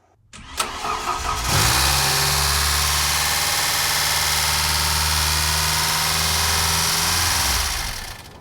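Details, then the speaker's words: 1993 Ford 2.3L Lima on first start while the transmission is being filled with fluid, about 80 psi oil pressure: the engine catches, flares up and keeps roaring at a high steady speed; runaway high idle, owner suspects the idle air valve/solenoid. "Yeah, that's running away."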